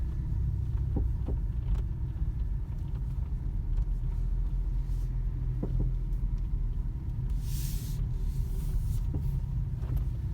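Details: Skoda Octavia A7 front suspension heard while turning slowly on a flat surface: low road rumble with scattered sharp knocks from the front end; knock when turning, cause not confirmed.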